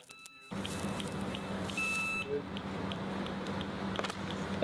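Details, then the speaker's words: Liner integrity survey with spark (holiday) tester over geomembrane on conductive geotextile: steady electrical hiss and crackle of arcing through a 5 mm hole, then a high steady beep alarm flagging the defect. "You can hear the audible alarm, so as well as the arcing sound that you can hear, the holiday detector or the arc test will also provide an audible alarm to state that the defects being detected."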